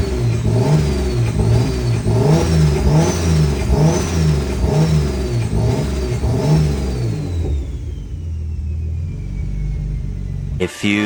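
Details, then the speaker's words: First start of a freshly rebuilt forged M52 in a turbo BMW E46 ZHP after a year on jackstands, on a base map; engine catches and revs cleanly in even blips, then settles to a steady idle; normal start and rev. "So, needless to say, I was super nervous for the first start, but everything went really smoothly. Runs really good."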